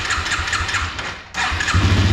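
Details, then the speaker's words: Yamaha 225XT dirt bike, cold start on choke, not yet warmed up: fires after cranking, stumbles and nearly dies, then catches with an uneven, lumpy idle; rough cold running and hard starting blamed on dirty carburettor, before cleaning. "But I mean, it even really kind of has some trouble starting. So it'll, you know, just runs really rough right now. To be fair, it is still not warmed up, but you know, it should be doing a little better than that."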